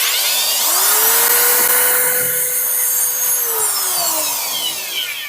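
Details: Impact drill on 220 volts after a no-power fault was traced with a continuity tester and repaired, running in reverse: the motor spins up to a steady, smooth high whine, holds an even pitch and winds down cleanly; normal running.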